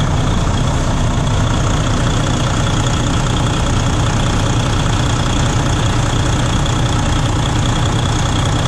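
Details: 2016 Freightliner Cascadia DD15 diesel after starter replacement: deep steady idle, even rumble, no knocks, misses or grinding; running smoothly.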